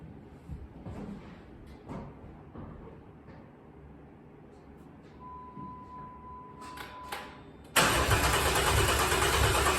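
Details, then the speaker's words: Rebuilt bored-over 3.9L V6 in a Jeep JK after the pickup tube and seal were replaced: catches at once and settles into a strong, steady run without knocking; healthy, coolant still bleeding, warming up. "hell yeah looks like the uh I'm pretty sure if I was a Venton man I'd say the oil pressure relief valve was my problem"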